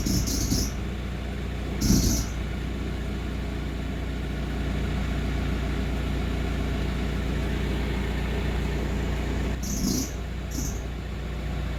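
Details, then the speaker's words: Audi A4 B6 idling: short high-pitched squeal and creak when turning the steering wheel; fixed by replacing the alternator pulley with its bearing. "один специалист сказал что вот на генераторе вот этот шкив нужно поменять вот с подшипником"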